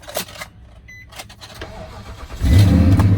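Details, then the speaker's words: 2006 Nissan Titan at Copart, 162,000 miles: quick crank catches at about two and a half seconds, settles into steady even low rumble with no knocks; sounds good, runs and drives. Normal engine start. "and it sounds good. Runs and drives."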